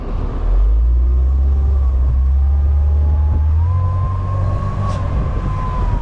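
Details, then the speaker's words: 1998 Mercedes-Benz SLK 230 (R170), inline four with air intake, top down, accelerating: engine pulls hard as a smooth whoosh/whistle, believed to be the supercharger, rises with revs; normal. "oh my God oh yeah I mean hear that you hear that uh I believe that's the supercharger whoosh that's what I like to call it"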